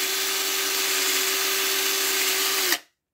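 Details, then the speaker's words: Cylinder head valve being hand-lapped with drill and compound, no machine shop: steady drill whine over gritty hiss of compound on the seat, then stops; valve lapping. "not too aggressive up in and out you could hear the valve branding now we go the opposite way"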